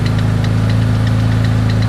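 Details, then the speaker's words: Rebuilt forged twin-turbo Mitsubishi 3000GT VR4 warming at idle: steady idle with light regular tick about four per second from one idler pulley; small popping also suggests a possible exhaust leak. "one of these pulleys over here make a little bit of noise let warm up i'll go through i'll check all the pulleys make sure they're still tight the old pressure's good it's that pulley right there i hear"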